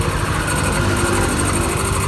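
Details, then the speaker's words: Yamaha Mio 125 after repair of a corroded green TPS signal wire that caused stumbling and MIL code 15, TPS set to 18: small engine ticks over at a smooth, steady idle with no misses; running normally. "Oke Beb Hehehe oke menjadi motornya udah kembali normal Ya"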